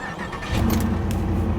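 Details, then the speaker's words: 2006 Chevy Impala SS with LS4 V8, unknown mileage, first start on a jump pack after auction: catches and picks up to a firm, steady low rumble with no misses or warning lights; normal cold start. "fired right up I don't know how many miles are on this either no warning lights on the dash yet"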